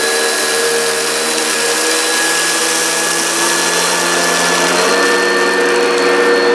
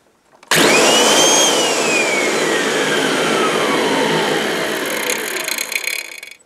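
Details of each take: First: Upright vacuum (American-made, Kirby, Oreck, Hoover or Maytag) running over dense carpet with rice and hairs: steady loud high whine with even brush hum; very noisy but grooms pile and picks everything up. Normal running. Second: Kirby vacuum cleaner set up for blowing with intake guard fitted, switched off: loud motor whine falls smoothly as it spins down, faint scraping rustle at the end; owner suspects something caught in the fan.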